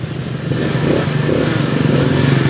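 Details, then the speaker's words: Rusi scooter, overhauled and rebored GY6 after exhaust valve repair and lapping cured a lost-compression hard start: starts on one push and revs up cleanly with an even, steady pulse, no misfire or rattle; normal start and rev. "GY6 super hard start. Isang pindutan na lang."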